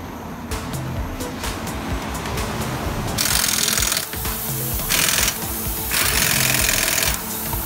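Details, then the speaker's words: Air-filled wheel tyre deliberately filled with about 1 kg of nails: rapid irregular metallic clinking and rattling, about four a second, keeping pace with the rolling wheel. "Ses geliyor. Gerçekten geliyor şık şık."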